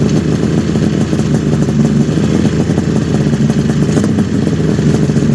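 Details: 1974 Kawasaki H2 750 two-stroke triple, just started after 34 years stored, oil added to cylinders: busy, crackly idle, steady and even with no stumble, all three cylinders smoking equally before idle screws are set; healthy normal idle.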